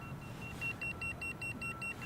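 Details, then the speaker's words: Boosted Board V2 electric skateboard with over 1,000 miles: a steady string of short high beeps, about five a second, warning of a loose connection, likely the connector under the battery, which has been removed several times, or the rear-wheel connectors. "So what that is telling me is I got a loose connection somewhere. And what I've noticed with mine is I get a loose connection under here, under the battery, because I've taken it off a couple of times."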